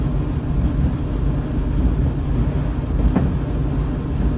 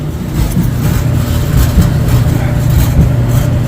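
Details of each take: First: Dryer about 15–20 years old after the drive-system repair (idler pulley removed): a low, even drum rumble with no screech or squeal; running quietly and normally. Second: Dryer run empty: a deep, uneven rumble with loose buzzing pulses about once a second; suspected cabinet sheet-metal vibration near the heating element or exhaust line; not confirmed.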